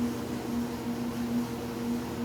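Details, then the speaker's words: Kenmore dryer after new belt and tensioner, motor running: steady, even low hum with no squeal or dragging; drum turns smoothly, as it is supposed to sound, unlike the earlier squeal and drag. "so there's one more time this is how it's supposed to sound it makes that sound when the motor started"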